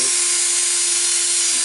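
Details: DeWalt DCD760-type hammer drill after new carbon brushes (part N109433) were fitted and the switch checked: a steady, even, high-pitched motor whine with no grinding or stutter; the repaired drill motor runs normally.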